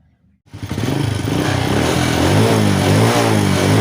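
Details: Honda Wave 100 motorcycle after clearing a clogged fuel filter (carb already cleaned, air filter replaced) that caused hard starting, stalling and no acceleration: catches quickly, revs cleanly with rising even exhaust note; runs healthy.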